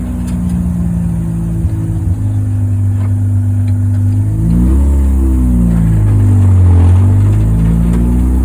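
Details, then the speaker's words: Mazda 13B rotary Willys Jeep with FiTech EFI on a road drive after an EFI adjustment to cure tip-in stumble; note climbs cleanly pulling away from a stop and through shifts, no stumble or hesitation, a big improvement, normal acceleration. "uh feels like a big Improvement no more hesitation and it runs pretty good"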